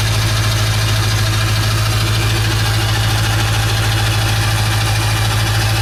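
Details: 1996 Ford F350 7.3 Powerstroke diesel after electronic fuel conversion: steady, even idle with smooth low rumble, no misses, knocks or hunting; running healthy.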